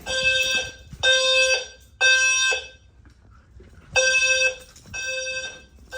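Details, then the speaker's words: Home fire alarm system on first power-up test, bedroom device triggered: loud horn blasts of about half a second each, three in a row, a pause, then three more; horns sounding normally. "Okay, this guy should go off in probably 10 seconds or so. 3, 2, 1, go. That sounds better, doesn't it?"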